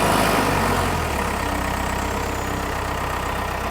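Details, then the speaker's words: Pettibone 156 after a total transmission rebuild, on its first test run before warm-up: a steady diesel drone dips smoothly as forward gears 1–4 engage, with no clunk, whine or grinding. Gear shifting is normal. "We're gonna fire it up and try it out. Gonna start out in forward first gear. Second gear, third gear, fourth gear,"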